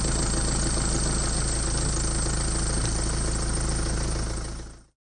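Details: Mercedes-Benz OM651 diesel cold start: even, steady idle clatter with no timing chain rattle or slap.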